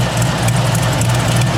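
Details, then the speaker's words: 1969 Camaro with new headers and copper header gaskets at idle: loud, deep V8 burble with a faint fast puffing tick; exhaust leak still pulsing at the header, manifold flange suspected slightly warped. "Changed them out. Put the copper gaskets in. You can still hear the exhaust leak. I can put my finger right there and I can feel it pulsing up through."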